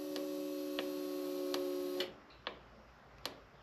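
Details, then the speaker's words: Buggy rebuild with fuel pressure about 50–55 psi after replacing a 10 amp fuse, starter previously tripping the system; a few sharp uneven clicks and brief buzz, engine never turns: starter no-crank with clicking, later traced to a relay found out. "it's still not working. So I'm not sure what's going on."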